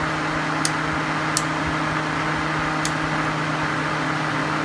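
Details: Suzuki SX4 with overheat simulated on the ECT sensor via a decade box, A/C off: a steady, even fan roar with a low drone and no rattle or scrape. Radiator and condenser fans (condenser fan draws about 7 A) running at high speed normally.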